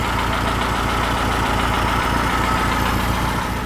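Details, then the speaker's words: Freshly built high-performance air-cooled VW flat-four for a Baja Bug, first run at the builder's shop, warmed up at base idle set as a starting point: even, steady low beat with no misses, knocks or hunting. Normal warm idle. "awesome warmed up bottom idle right there so and it'll as the engine warms up your idle will go up a little bit more than that"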